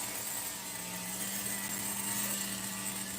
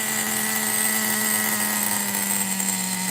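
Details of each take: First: Megatech nitro RC engine during restoration, carb test with cool head; high thin buzz holding constant pitch for several seconds without dipping or hunting, idle consistent: normal idle. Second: Megatech nitro RC engine, 2-speed restoration, first fire-up, one-way bearing suspected slipping: screams at steady high pitch without dropping to a settled idle; idle set too high, being lowered.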